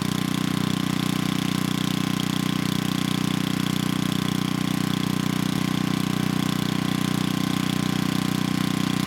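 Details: 1987 VoltMaster 4,000 W generator, 8 hp Briggs & Stratton flathead, after compression repair, under 3,000 W load: 120 V near 60 Hz (107 V unloaded). Steady even drone holding speed, no misses, knocks or surging.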